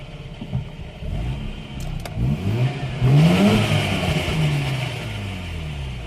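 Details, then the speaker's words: Mazda RX8 after a loud pop while accelerating in 3rd, engine warm: the pedal stays on the floor, and holding the clutch down gives a loud whirring drone with rattly clatter. The throw-out bearing broke apart in the housing and damaged the clutch; the clutch needs replacing and the flywheel refinishing. "oh every time I push the pedal to the floor I get this loud sound and this gry ass feel to"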